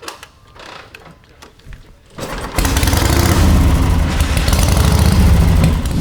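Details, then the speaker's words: Motorcycle twin, run 10–15 minutes earlier, choked with three prime kicks: catches on one kick and settles into steady even loping idle; starts and runs healthy. "i'm gonna give it a couple chokes so like we always say three prime kicks and it should be one to go"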